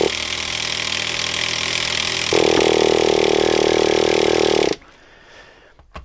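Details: Traxxas T-Maxx 2.5 nitro RC truck, run after long storage with the carb screw readjusted from too far open and a suspected blockage: small engine buzzes unevenly, rises to a higher snarl, then stalls dead.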